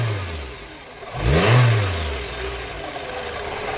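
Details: Renault Fluence that previously cranked but wouldn't start: the engine picks up cleanly in one quick rev, then drops back to a steady, even run with no misfire or knock; it is running properly.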